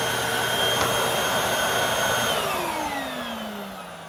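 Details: Hoover WindTunnel 3 High Performance Pet upright vacuum after a brush roll belt replacement: steady high-pitched motor roar with an even brush roll hum, then pitch slides down as it winds off; running normally.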